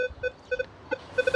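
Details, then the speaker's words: Minelab Equinox 800 in Field 2 mode, nothing being swept: irregular short beeps, false chatter because sensitivity is set too high amid heavy EMI; still chatters slightly when lowered to 18. "my sensitivity is too high so what I want to do is make sure that I lower this down"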